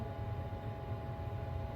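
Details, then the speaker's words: Weber SmokeFire EX6 pellet grill after replacing auger assembly and motor, started at 600 degrees: steady even low fan rumble with faint constant hum, no rattles or scraping; combustion fan sounds healthy. "they're all good mr. dink I can hear the fan"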